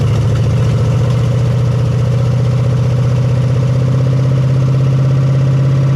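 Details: 1975 Chevy Nova V8, just started after sitting 35 years: fast, steady idle with open-header bark, well above normal, from a bunch of uncapped vacuum leaks needing caps.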